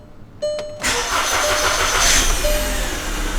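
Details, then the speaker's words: VW Jetta after spark plug work: starter whirs, engine catches and settles into slightly uneven, lumpy idle with shaking; check engine light still on (not flashing), misfire still present. "oh shaking a little bit check engine light's still on um starting to i can feel it shaking a little bit so it still feels like there's a misfire"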